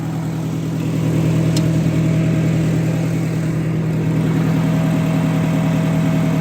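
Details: Oliver 550 gasoline parts tractor, newly finished, outdoors with PTO switched on: steady even mid-pitch engine drone, no knocks or misses; runs smoothly, PTO engages and stops properly.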